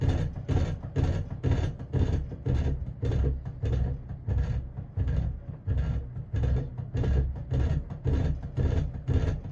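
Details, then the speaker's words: Custom 48-inch Emerson friction-drive ceiling fan, late 70s/early 80s by the owner's guess, missing its variable speed switch, at about medium speed: a low droning hum swelling about twice a second, a steady throbbing beat. A rough, noisy fan. "this thing is terrible so i guess i'd call this a medium speed so it's giving us a nice beat though"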